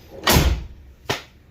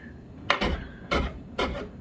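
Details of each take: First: 1999 Chevrolet Suburban GMT400 door after new bushings and door pin roller: one solid thunk as it latches, no longer sliding or scraping on the striker pin; normal door closing. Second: 1999 Chevrolet Suburban GMT400 door sagged about 1/8 inch on worn hinge bushings: short metal scraping rubs on the striker each time it swings shut, needing a push to latch; before new bushings and door pin roller.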